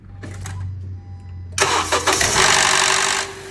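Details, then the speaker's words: 2012 Honda CR-V on a cold start: the starter cranks, the engine catches, then a loud, harsh whirring rattle for about two seconds before it settles; long-standing, absent on a warm restart, source unknown. "I'm going to in a second start my vehicle here and you will hear a cold start with a weird noise and I do not know what where that is coming from"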